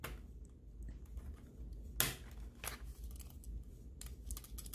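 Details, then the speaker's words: Cooler Master MM710 mouse shaken after a post-travel fix: light, irregular plastic ticking from zip-tie pieces placed under the buttons rattling loose; they can be glued in place. "you can hear that rattling those are the zip ties there you can glue it in"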